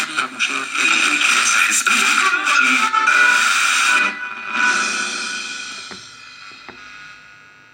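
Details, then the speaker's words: Water-damaged Panasonic RF-562 battery portable radio, after every capacitor was replaced: music and voice come through clear with no static, buzzing, hiss or hum. The radio now works fine, normal audio. "as you can see the there is no static and there is no buzzing and it is sounded really clear and radio now it is working fine"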